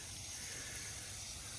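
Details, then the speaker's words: Garden drip irrigation line under water pressure: a steady, high-pitched hiss of a leak from a slice in the tubing; the fix is to cut out the damaged section and fit a new coupling. "there it is there's another one you can see it's a bit of a slice so again we're going to have to cut it and put a new coupling in there"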